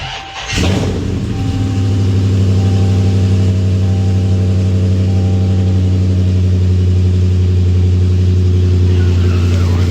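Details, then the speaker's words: Scat-swapped V8 after installing new intake manifold (old one had stripped screws, reading too much air); starter catch, then deep even burble at steady idle, no pops or misses that it previously had on startup; normal idle. "sound like it's running a lot better already cuz they used to do this little pop noise like soon as I started it would pop it would do like a little pop like this misfiring or something"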